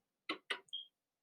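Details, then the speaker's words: Yamaha PSR-8000 keyboard (1997) reading a floppy disk after pressing the Disk button: two crisp clicks then a brief high chirp as the floppy drive head seeks, showing the disk drive is activated and working normally. "you can hear the floppy disk moving the the draft so once you once you hear that clicking noise you know you've activated the disk drive"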